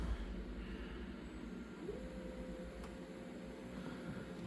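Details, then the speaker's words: Panasonic PV-V4521 VHS Hi-Fi stereo VCR fast-forwarding while playing (forward search): quiet hum, then a steady mid-pitch whir as the tape speeds up, no grinding or squeal; normal transport. "Rewind while it's playing. Fast forward while it's playing."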